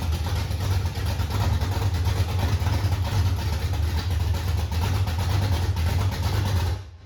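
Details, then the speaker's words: 1968 Ford Mustang V8 idling loud and deep with a steady, even lope and no clanking, running smoothly until shut off; healthy. "No, there was no clanking. No, sounds good."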